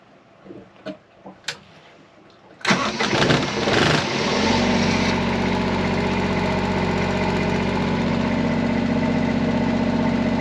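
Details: 45-year-old trawler's generator restarted after overheating, clogged filter suspected and low coolant topped off: a few clicks, cranks, catches within about two seconds and runs steady and even; healthy for now, unconfirmed fix.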